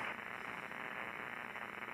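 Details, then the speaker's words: ICOM 7300 HF ham radio with noise blanker being switched on: harsh crackling grind of static, no steady tone, band-wide electrical arcing noise from an unknown source swamping reception; electrical line noise interference. "Now it got louder, and you don't hear the grind of that electrical arcing noise, right?"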